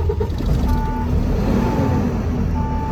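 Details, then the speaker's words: Tractor truck, engine idling during the in-cab pre-trip brake test with air pressure low: steady mid-pitch buzzer repeating about three times in three seconds; low air warning buzzer working properly. "you can hear the buzzer. If you can, I don't know if you can hear it behind the engine, but there's a buzzer going on right now because I have low air."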